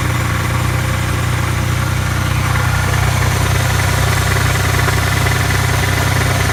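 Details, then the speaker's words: V6 automatic Camaro cold start after sitting parked about a year: steady deep knock, roughly three per second, over the idle; bad bottom-end knock, not worth fixing; transmission recently replaced. "it's got a real bad knock in the bottom end but it's just not worth it to fix it"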